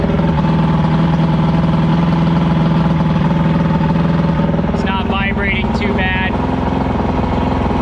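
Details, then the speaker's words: Evinrude V4 crossflow outboard (88–115 hp) after replacing the cam follower roller, now warmed up: steady, even, smooth idle with no choppiness or misses, running cleanly; there is no exhaust back pressure. "Yeah, it sounds way better right now. You can hear how smooth it is now. It's not choppy at all."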